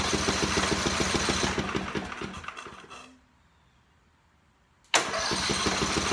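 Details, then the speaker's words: Portable generator, 4-stroke, electric start, no gas, fresh 5W30 synthetic oil and new filter: quick, even cranking pulses, pause, cranking again without firing, priming oil through the filter; normal cranking. "Now what this is doing is lubricating everything and pumping the oil through the oil filter to fill that up and getting it to all the components in the engine."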